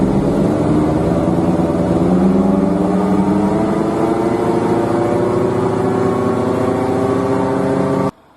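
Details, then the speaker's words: Hyundai Elantra (Yuedong) front wheel bearing running out of grease, heard from inside while driving. A hum and drone starts around 40 on the speedometer and grows very loud at 50–80. Worn wheel bearing growl; the bearing was then replaced. "大概在这个车速表在40左右，就会有这个响"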